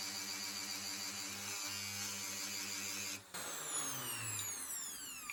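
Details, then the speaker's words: Bosch AHS 40-24 hedge trimmer, bare motor started directly with a screwdriver bypassing the safety switch to rule out electrical fault: steady high whine runs evenly, then cuts off and winds down smoothly; motor works with only slight brush sparking. "Okay, so it does work. There's a tiny bit of sparking."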